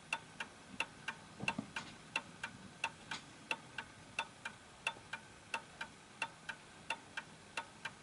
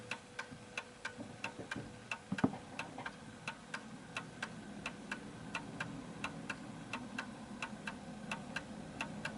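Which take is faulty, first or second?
second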